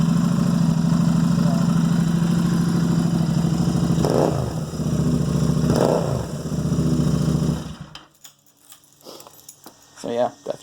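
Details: Royal Enfield Continental GT 650 twin after re-adjusting loosened valve clearances that had caused clicking cold and hot from about 3000 miles: steady, even idle with light blips, no ticking or clacking; valvetrain quiet.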